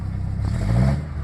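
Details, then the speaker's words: 1996 Ford Ranger 2.3 (owner mentions a small mod and a fuel smell): short throttle blip rises cleanly and drops straight back to steady idle without shaking or stumbling; normal rev and idle. "a little more gas it goes back to regular Idol this one runs great"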